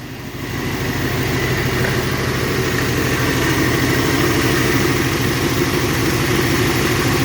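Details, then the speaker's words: Long-stalled Dodge wagon V8 first run after unseizing, no blue smoke despite suspected worn valve seals: steady even idle, regular low burble, no knocks, misses or ticks; normal idle. "I don't know. It seems to run just fine."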